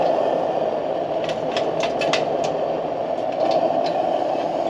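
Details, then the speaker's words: Military pressure lantern after lighting, valve opened once mantle fills out: smooth, steady hissing roar with no flutter or sputter; burning properly. "But once you can hear it, once the mantle really starts to fill out, you can crack that valve open and let her sing."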